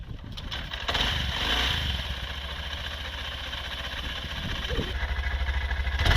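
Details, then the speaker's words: 2023 Honda CB125F single, after valve adjustment at 1,000 km (exhaust had been too tight, intake too loose; set 0.08 intake, 0.2 exhaust), starting and warming: catches quickly, settles to steady even thump, no lean stumble; normal idle. "I think it's safe to say from that little demonstration that the bike's definitely not running lean anymore. And in my opinion, that's probably a good thing. It's idling fine."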